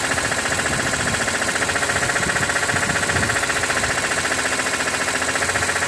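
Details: 2006 BMW E46 M3, 42,600 km, warm idle above 80°C oil temperature: fast, even ticking about 220 per minute over engine hum; source unknown, owner wonders about the oil pump.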